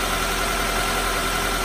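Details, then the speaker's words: Honda CR-V, 216,000 miles, over 2 years on the oil: smooth steady cold-start idle hum with no ticking or chatter; expected to quieten further as RPM drops. "Especially for 216,000 miles on the vehicle and over 2 years on the oil. Pretty quiet. That's a cold start too, so it'll actually even get quieter as the RPMs drop."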